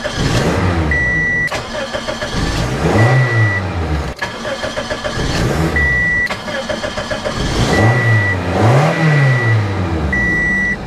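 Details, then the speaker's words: 2003–2008 Toyota Matrix 1.8 L 1ZZ-FE after starter replacement, started repeatedly: short cranks each catch within a second into a clean rev and idle, chime beeping between. The new starter works normally. "right sounds good and you're done pretty quick and easy job"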